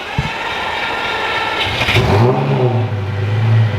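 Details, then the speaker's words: Start-up and idle of a supercar owned since September 2015, not run in a very long time: cranks, catches quickly, revs rise smoothly and settle to a steady, even low idle with no knocks or misses; normal start-up. "I have not heard this engine start up and stay turned on in a very very very long time and I'm assuming that's going to happen right"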